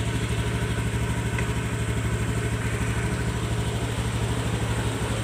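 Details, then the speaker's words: Honda Beat Street (2017–2019) scooter that used to rev wildly on starting from a sticking throttle, now after service: low, even putter at a steady idle without racing or hunting; normal idle. "Seperti biasa kita starter. Oke. Oke, ya. Tidak besar langsung meraung-raung guang guang guang gitu, Guys, ya."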